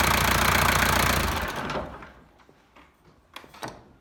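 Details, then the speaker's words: 1983 Toyota BJ42 with 3B mechanical diesel, EDIC fuel shutoff repaired: diesel clatters evenly, then cuts off cleanly within about a second at key-off, followed by soft clicks; shutoff working normally. "There you are, it's running. You can hear it running. And there you go, it stopped. So success."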